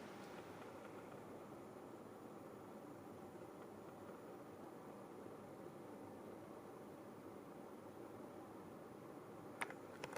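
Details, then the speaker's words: GENZ solar-powered 3.5 kW air conditioner (R32) on its first test run, heard at the indoor unit: only a faint steady airflow hiss, no rattle, hum or clicking; very quiet normal running. "Beüzemeltük a készüléket, maradjunk annyiba, hogy a beltéri az nagyon-nagyon csendes egyébként."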